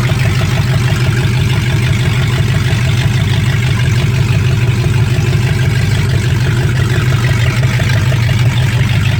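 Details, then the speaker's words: 1965 Ford Mustang fastback, 289 V8 with Tri-Y headers, first start after 44 years sitting, cold day: steady deep throaty idle about three pulses a second, no knocking; runs healthy, carburetor drips and needs rebuild. "all right here we go there we go she's good so the points I like we got fire everything's good"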